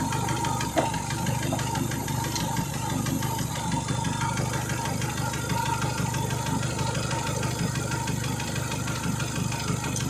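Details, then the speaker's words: Renault Megane 2 at idle after a spark plug change: uneven, lumpy idle with a little shake, irregular stumbles and occasional thumps. A misfire somewhere, source still unconfirmed. "A little shake. Get on this fire. getting a misfire somewhere"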